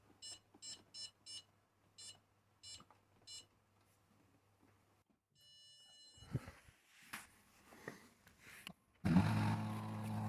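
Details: Whirlpool 6th Sense PowerClean WFC3C24PX dishwasher, about six years old, red tap logo after about 2 minutes: four quick then three spaced high beeps; power supply suspected; no-water-inlet error.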